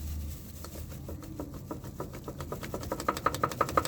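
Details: Yamaha Fazer 250 (2006 build, 2007 model), rear wheel spun by hand: clicking about three times a second that sharpens; the sprocket-side 6004 wheel bearing has play in its seat.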